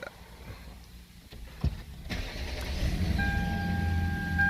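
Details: Lexus LS460 V8 after starter replacement and new battery: quiet, then a short crank and the engine catches straight away and settles into a smooth idle; normal start.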